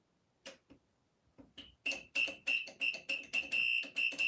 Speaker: what it sounds like so it literally sounds like a fire alarm